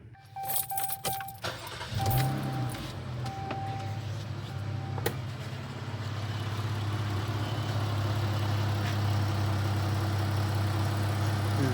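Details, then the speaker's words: 2018 Jeep Cherokee 3.2L V6 after fixing a P0301 cylinder 1 misfire by replacing the cylinder 1 spark plug: starts with key jingle and chimes, then settles into a smooth steady idle, misfire and check engine light gone. "No more miss. Get cleared out. No more check engine light. No more miss."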